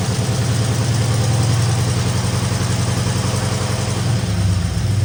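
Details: 1964 Ford Fairlane Thunderbolt clone V8, first run after about six months parked, fuel from a jug, no coolant; deep, slightly lumpy idle holding steady, small rise near end, owner hears slight lifter noise from sitting, probably needs oil change.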